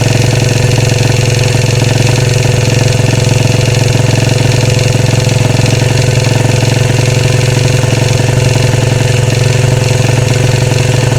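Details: 2013 Royal Enfield Classic 500 single, freshly reassembled after teardown for stray M5x35 bolts: decompressor noise gone, thumping idle with a quick metallic rattle on each beat, rising and falling slightly; oil level okay, tappets and rockers to be checked, cause unknown.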